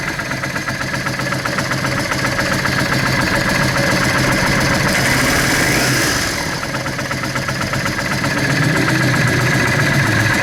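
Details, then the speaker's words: Yamaha Drag Star 650 carbureted V-twin, spark plugs white from lean running, before intake boot replacement: loping idle at about four pulses a second, brief throttle blip that sags back; air leak at the intake boots causing lean idle. "I'm going to hit it with the light look what's happening I put the light here... Look what's happening in the intake nozzles"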